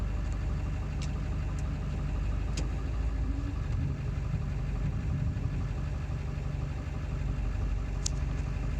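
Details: 7.3 diesel at idle after ICP sensor replacement, still running poorly: a low idle with an uneven, lumpy beat and a few sharp ticks on top; rough idle, cause not pinned down.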